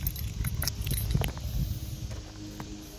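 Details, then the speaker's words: 1988 BMW K75 motorcycle, first start after 22 years, fuel and rubber parts restored, tank cleaned, new battery: low steady rumble on choke with a little throttle, no misfires; normal running. "Did you just hear that? Choke. It's running. I cannot believe it's running."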